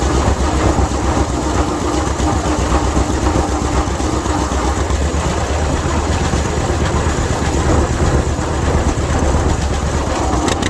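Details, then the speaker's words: 1952 John Deere AH Hi Crop tractor, sat in a museum about 15 years and just revived, on a roughly 50-degree day, pulling a hill under load: steady, even low chugging with no misses, knocks or clutch slip, a healthy engine. "girl pulled the hill that time. Clutch didn't slip at all. Tell you something else too. I love to hear these things run, especially under a load. Man, they sound good."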